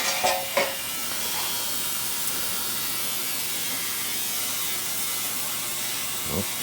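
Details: Ultrasonic cleaner cleaning the wood mill engine's carburetor, 13 minutes in at about 20 °C: even, high hissing buzz with a faint low hum and a few handling clicks; running normally, carb parts coming out nearly new.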